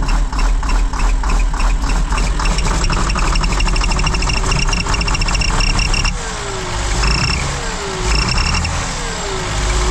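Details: Combine diesel running with a quick, uneven puffing tick and a falling whistle over the engine note on restart after reassembly and an O-ring swap; exhaust leaking.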